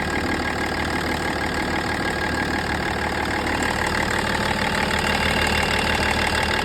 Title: M57 Vibration and Ticking Noise